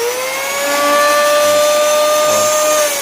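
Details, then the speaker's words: Makita electric planer at full RPM: high motor whine with a rough buzz and strong vibration, caused by a loose armature bearing housing. "yan ag nakukuha niya yung full RPM niya ah yun nagba-vibrate"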